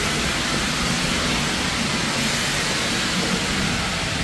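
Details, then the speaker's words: Steam engine line at industrial steam museum during warm-through, low-pressure regulator opened: loud constant hiss with no rhythm, live steam blowing from a line drain left open; pressure struggling above 50; steam leak from open drain. "we've got a lot of steam coming from somewhere I don't know where that's coming from"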